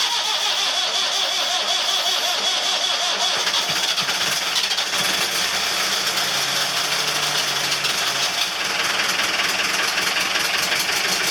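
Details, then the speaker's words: Marine Perkins 4.236 diesel (1984/85) that was 3 months in salt water, started the next day to check for water in the oil and run for hours to dry. It cranks, catches and settles into a hissy, clattery run with no clear fault yet. "Now I'm gonna start her up, see if there's a lot of water in the oil and so on, and I'm gonna leave it running for a few hours to dry up."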